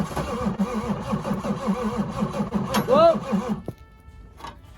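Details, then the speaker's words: Land Rover Range Rover P38 cranking after fuel reached the injectors: slow, uneven cranking about three turns a second, nearly catches once, then stops; no start, owner thinks a more charged battery will get it firing. "i think with a bit of more spice in the battery she'll be firing won't she"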